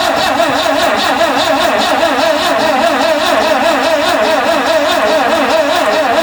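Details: 1974 Vauxhall Magnum, unstarted for 37 years, fuel squirted in and throttle butterfly possibly stuck: steady, slightly sluggish cranking with no firing; crank, no start, weak battery suspected, not confirmed.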